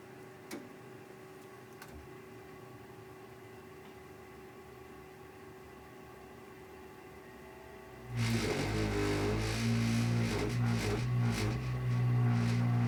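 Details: Ideal Isar HE30 boiler starting up: quiet for several seconds, then a sudden loud, steady low rumble with droning hum and heavy vibration as it fires; cause not evident.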